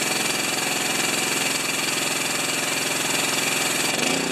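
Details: General TT9091 pressure washer pump after ceramic plunger rebuild, engine unused three years: small engine fires and settles into steady even buzzing run with regular beat, no knocks or misses; normal running.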